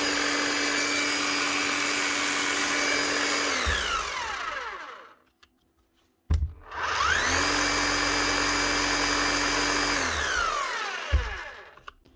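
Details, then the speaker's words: Bosch GBH 8-45 D rotary hammer after repair of broken eccentric gear, two new O-rings and fresh grease: steady even hum at constant pitch then smooth wind-down, twice; no grinding or rattle, running normally despite minor armature damage. "that's not sounding too bad at all [Music] nice one she's running smooth doesn't sound bad at all"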